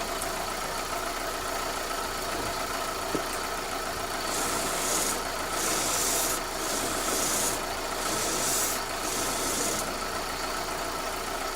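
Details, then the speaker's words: Chevy Optra (2001–04) front end, engine idling while steering is turned: sharp irregular clicks, clunks and rubbing. First traced to the strut, then judged to come from a worn, wiggling or broken CV axle, not the strut. "I think the CV axle is broken or it's wiggling. That's the sounds, the clunking sounds coming from. It's from the CV axle, not from the strut."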